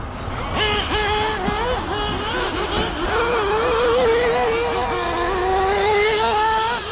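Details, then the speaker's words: Freshly rebuilt and resized FX K302 small nitro RC engine being broken in on Worlds Blend V2 fuel: burbly, uneven blips with wandering pitch and no crisp revs; mixture still rich and idle a little high before adjustment. "you can hear she's still rich right all right she's still rich"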